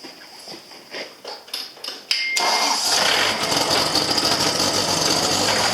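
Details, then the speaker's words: John Deere CT332 start-up: a few cranking ticks, catches after two seconds and runs steadily with a thin high whistle from the small turbo; normal. "Hear that little turbo? Just a little guy right there."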